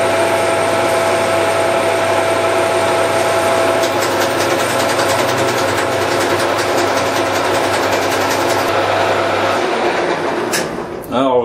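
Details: OTMT metal lathe with the carriage at its end stop, where the telescopic leadscrew cover is fully compressed and blocks travel: steady machine hum, then several seconds of rapid sharp clicks, apparently the feed disengagement clutch slipping.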